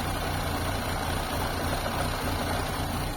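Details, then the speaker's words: Fiat Tipo idle: fast idle drops to a low, uneven thrum pulsing three to four times a second. Cause unknown; a blocked catalytic converter, the ECU or sensors are suspected. Rough idle. "we're on fast idle and then it drops it fast just normal idle and it's just rubbish again"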